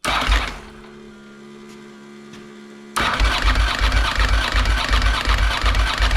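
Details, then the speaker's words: 1992 Ducati 900SS after replacing the oil cooler, cranked with ignition off to build oil pressure; brief whir then steady starter churn with even thumps, no grinding or slipping; normal cranking, good oil pressure, no leaks. "Okay, so we got good pressure. That means we got cylinders. Well, we got oil pressure in here, which means we got oil flowing."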